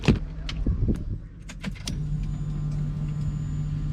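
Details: Turbo BMW M50 E30 (about 500 whp) on a hot day, surge tank fuel pumps failing intermittently: a few clicks from handling the relays, then a steady low hum as the pumps run again; owner suspects relay wires too tight and pulling out.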